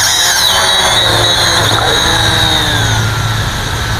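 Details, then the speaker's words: Eachine E520S quadcopter on the ground, motors spun up manually: loud steady high-pitched squeal over the rotor buzz, pitch wandering slightly; one or more motors screech on spin-up, and the quad fails to take off or hold altitude. "as you can see it's just you hear the squeal the screeching noise"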